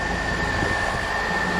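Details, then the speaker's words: 4th-gen Camaro after a misfire from a broken spark plug was fixed: steady, even hum with no stumbles or skips, all cylinders firing; normal running. "that is gonna be it she lives she runs smoothly would be quietly"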